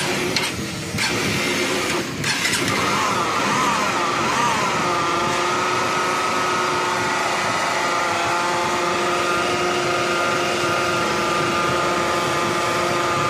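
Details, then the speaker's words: Honda Unicorn motorcycle engine running before teardown: coarse gravelly drone with steady metallic ring, a rough engine sound with smoke; customer asked for a rebore; clutch to be opened to separate gearbox from bore. Finding: crankshaft bearing rough noise. "Okay విన్నారు కదా engine లో rough sound అదే విధంగా సరైన smoke గాని వస్తుంది customer బండికి bore గాని చేయమని చెప్పాడు"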